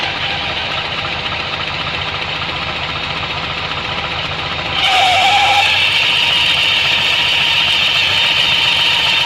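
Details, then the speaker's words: Suzuki Burgman 650 CVT: fast regular clicking about three to four a second over a whirring drive and high whine; mechanic suspects the belt's metal links hitting the shaft, and pressing slightly stops it. "Вот эти щелчки, я так понимаю, ремень стучится металлическими своими звеньями об вал, потому что вот чуть поджимаем."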